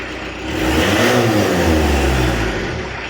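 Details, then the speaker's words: 1986 VW T25 1.6 JX diesel, stored since 2017, just started: it revs from idle and settles back with a steady, gruff note, no knocks, and the turbo clearing itself. Normal diesel revving. "Turbo's well and truly giving itself a clear. So now it starts."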